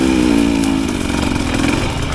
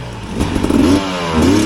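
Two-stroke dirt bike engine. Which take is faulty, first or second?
second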